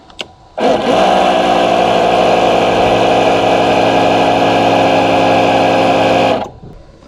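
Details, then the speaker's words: Honda Goldwing GL1500 (1986/1988), 32,656 miles, after 21 years in a barn: onboard air suspension compressor hums steadily for about six seconds at even pitch, then stops cleanly, PSI rising; compressor running healthy. "Got the air suspension to work again. You can see that."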